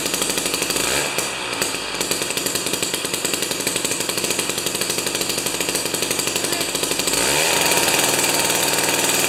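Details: Jiffy 30 2-stroke 3HP ice auger after carburetor work, J19LM plug instead of J17LM: crisp buzzy running at fast revs with clean pickup after mixture turned out from lean high-rpm whine; runs healthy.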